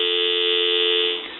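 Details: Western Electric 317 wood wall crank telephone repair conversion: steady, clean continuous tone holding about a second before cutting off; proper dial tone present.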